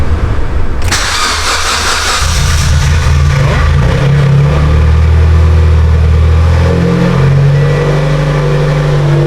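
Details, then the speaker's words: Mitsubishi Evo X after ETS turbo kit install and exhaust leak fix, near straight-pipe exhaust, chilly morning start: quick crank, fires and catches, blips, settles into loud steady idle with no puffing or ticking; normal start and idle. "No more exhaust leak. And this thing's loud, guys. Holy crap. Definitely loud."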